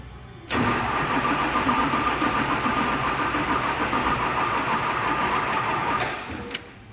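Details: Duramax diesel swap, first start after filling coolant and bleeding fuel system: about five seconds of even cranking with no firing before cutting out; needed more battery power, then started.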